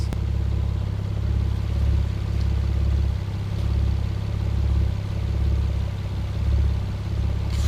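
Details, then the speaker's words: Warm Mazda KL-DE 2.5 V6 swap, out of diagnostic mode, air valve closed and a vacuum leak suspected: low even rumble held in spec by the system, a slight stumble after a blip but no stall; normal idle. "okay so the system is maintaining the idle within spec that air screw I don't care where it is as long as it's idling properly"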